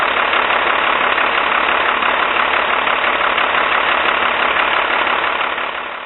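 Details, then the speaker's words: Cummins diesel with VE injection pump after replacing leaking cylinder 2 injector line: rough idle with uneven knock about three times a second, one cylinder seemingly misfiring, likely from air in injector lines; cleared up after about 4 minutes. "So at this point I was getting pretty concerned. It seemed to have a misfire on one cylinder, but after we ran it for about 4 minutes, it cleared up and was running normal again."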